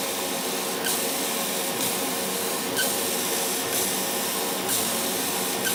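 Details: CO2 laser cutter squealing at the nozzle, the beam itself whistling and not air or compressor, after about six months of operation. A thin high whistle over steady hiss, brighter bursts about every second; tube current rose 12 to 13 mA, no incomplete cuts: laser tube squeal.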